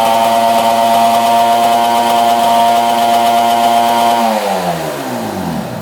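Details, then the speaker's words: 1966 Yamaha YL1 two-stroke twin, first start, very smoky with oil spilling: screams at a steady high rev after throttle held wide open, then note drops away as throttle closes; high idle, cause unconfirmed. "I had to hold the throttle wide open to get that thing to go. And uh right now it's revving pretty high."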